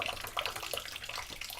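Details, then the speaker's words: Brand-new A.O. Smith electric water heater with only a trickle of outlet pressure: lifting the relief valve gives a sharp hissing rush of water in short bursts, showing the tank is pressurized. "If you hit the relief valve, you can really hear that stuff coming out of there. So we know that this tank is pressurized."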